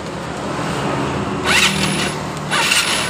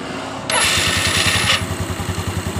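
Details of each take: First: Yamaha Mio Soul carburetor scooter after pulley and roller replacement, electric start, cold or hot: starter bursts with a high whirr and slipping whine from the CVT case. Suspected grease-soaked one-way starter clutch slipping. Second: Yamaha Mio scooter after replacing CVT pulley and rollers, sometimes slips at the one-way clutch on electric start: short smooth starter whir, engine catches at once and idles evenly; clean normal electric start.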